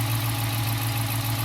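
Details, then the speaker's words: 2015 Dodge Challenger 5.7 HEMI V8 with Shaker, idling after swapping the stock 203° thermostat for a 180° one, no leaks: deep steady burble, smooth and even, no ticks, knocks or hunting; normal idle. "I love the sound of this guy phenomenal you want to keep your wife happy go get or a Hemi"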